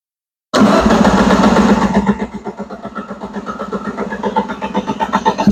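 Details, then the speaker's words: Gen 3 Alfa Romeo Spider Graduate towed in as a no-start, traced to a wrongly installed flywheel; after repair, run from a starter hookup with not everything connected: brief crank, clean catch, even steady idle, first run in a long time. "Right on. Well, there you have it. First time this thing's ran in a very long time."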